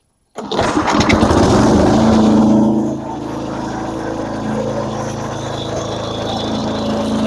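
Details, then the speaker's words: Massey Ferguson MF-7 tractor: small single-cylinder engine runs hard, then drops off and labours as load comes on; owner says it runs well until the mower blades are engaged, then bogs toward stalling; cause unknown. "all right so you can see like I said you know it runs pretty good until you try to put the uh the mot blades on"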